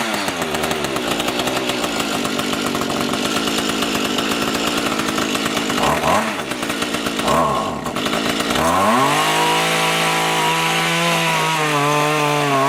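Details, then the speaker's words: Small two-stroke rototiller tilling soil after carburetor cleaning and low/high mixture adjustment, following winter storage with fuel in it: strong steady buzz holding under load and revving cleanly, now running well. "looks like we did the trick it seems to work okay now much better than it was before which was not working"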